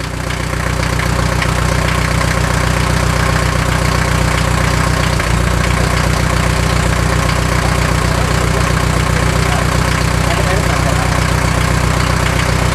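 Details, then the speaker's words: 1979 Mercedes-Benz 240D diesel, first start in 13 years after glow-plug warm-up, no exhaust system fitted, running diesel purge: loud open clatter at steady even idle, about four beats a second, no misses; runs well. "all right well while I have this running I'm going to run some more diesel Purge through it but uh it's running and it's running well like I said for the first time in 13 years there's no exhaust system on it"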